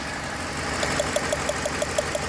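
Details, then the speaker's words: Ford Explorer 2007 4.6L V8, engine replaced at another workshop, thermostat missing, white smoke, water burning, overheating: uneven idle with a sharp tick about six times a second over the engine drone; engine not running straight, misfire. "देखो engine सीधा नहीं चल रहा है"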